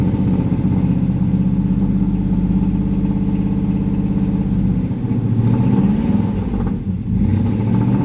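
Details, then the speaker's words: Pontiac Firebird V8 started before a road trip: deep, uneven lumpy burble with a slight stumble while cold, running rough with no choke. "hear that little burble here no choke"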